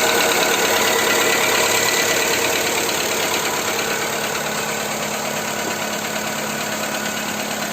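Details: Skoda Fabia 2 with 1.4 engine, after Ceratec treatment: steady idle with a regular tapping knock about three times a second over the engine hum; engine knock at idle, cause not identified.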